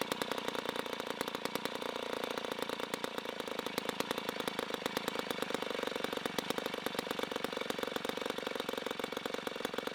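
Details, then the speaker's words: 1960s Homelite C-51/XL-12 vintage two-stroke chainsaw, revived, started with choke: fast, even crackle at steady speed with a buzzy, slightly blubbery edge. It is running a little rich and may be low on fuel. "it is a very loud saw for now it is running a little rich but for now we're going to move on to the other xl12"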